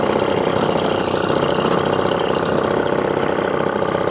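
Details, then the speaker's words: Restored 1954 Atco kick-start mower with a Villiers Midget two-stroke at a normal idle, described as smoky and aggressive: fast, crisp two-stroke popping at about four beats a second, steady and even throughout. "but at co-standard Kickstart lawnmower two-stroker Smokey aggressive"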